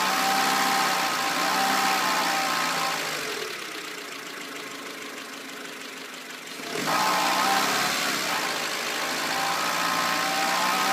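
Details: Renault Clio 1.2 16V revving with a thin rising whine over a light metallic rattle, then settling back; cause unclear.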